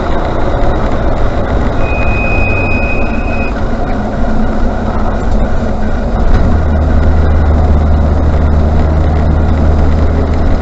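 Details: Range Rover Classic rolling: a thin high-pitched brake squeal rises over road and engine noise for about two seconds, then fades.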